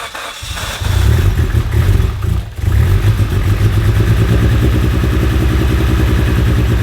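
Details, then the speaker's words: Fully built Mitsubishi Evo X on first start with new cams and an AMS fuel rail, AFR around 10, possibly flooded after earlier fuel-line blow-offs: uneven, lumpy pulses under held throttle, won't idle alone. Suspected running super rich; cause unconfirmed. "I wish I could get it to stay running but I honestly won't even idle by itself right now"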